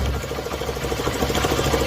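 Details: Small 150 or 160 cc motorcycle engine idling with a quick, regular knock from the clutch side; engine opened revealed a totally broken clutch bearing.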